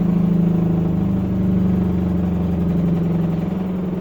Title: LG Waschmaschine laut beim schleudern